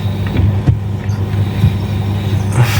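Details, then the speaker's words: Fiat Mobi/Argo/Cronos electric power steering after greasing the worn column shaft: only a steady low engine hum while the wheel is worked; the faint intermittent noise is gone. "não tô ouvindo o barulho tá ele era intermitente dava para ouvir bem baixinho"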